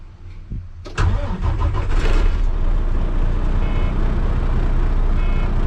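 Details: Retired Volvo semi truck, diesel, started before the drive to auction: quiet, then a short crank, then the engine catches at once and settles into a steady even idle; normal healthy start.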